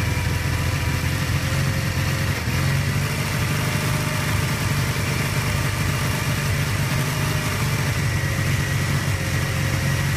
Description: kawasaki kz440B 1981, 7k miles, rough idle. Choke is set about half-way.